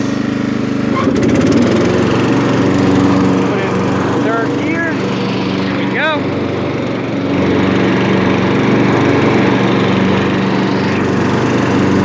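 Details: Craftsman LT1000 lawn tractor, 18hp Briggs & Stratton, 42" cut, six-speed, freshly tuned up (oil, air filter, plug, fresh gas), running with lights on; steady even drone, no misses, knocks or surging: normal running.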